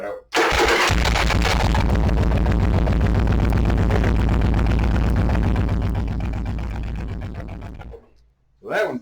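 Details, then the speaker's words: Stock Yamaha Virago with larger, newer battery, cold below-freezing conditions: brisk even cranking catches almost at once and settles into steady idle; healthy start, unlike the smaller-battery bobber. "so for example here's the stock bike and it's got a bigger battery and a newer battery and so when i crank this one over although it's the same temperature out here this knob just cracked right"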